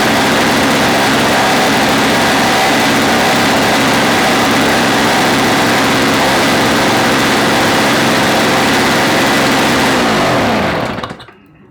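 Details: Old Snapper two-stroke engine being fitted to Toro snow-thrower, fuel filter screen purged, choke on, electric start: steady even high idle for ten seconds, then dies away at shutoff; runs clean.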